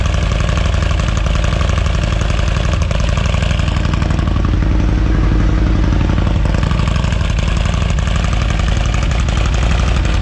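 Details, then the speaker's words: Harley-Davidson Street Glide with 131ci engine, Cyclerama CR512 camshaft just swapped in for Rocket Cams 544, Fullsac Touring MX header pipe with factory heat shields, first start before dyno retune: deep, loud lumpy V-twin idle, even choppy cam beat, no tapping or knocking; healthy normal idle. "Well, it sounds good, it looks good, it fits good."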